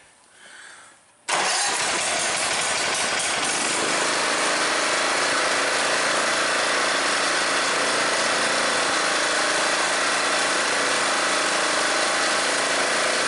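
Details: MTD riding mower that died mid-mow like the key was turned off and wouldn't restart, after valve train work and valve adjustment: choked and started, it catches right away after a short crank and settles into an even, steady run with no valve tapping; running healthy.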